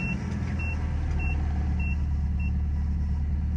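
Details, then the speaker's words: Nissan Hardbody Z24 pickup after correcting a recently replaced fuel pump that was installed wrongly and causing a no-start: steady, low, even idle with a chime beeping about three times a second; runs normally after the fix. "pues ya quedó lo único que tenía era pues bomba de combustible pues mal instalada y pues lo único que hicimos fue después acomodar la en su lugar todo bien"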